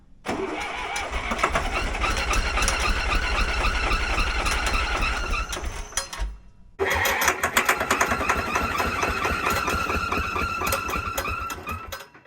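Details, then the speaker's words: Zetor 3340 tractor sat 5+ years, new battery, cranking: rapid uneven chug with thin high squeal, stopping and restarting; seized alternator suspected holding belt, then broken loose. "Let's see what's squealing. Sounds like the belt. Let's see if this alternator's what's holding us up here."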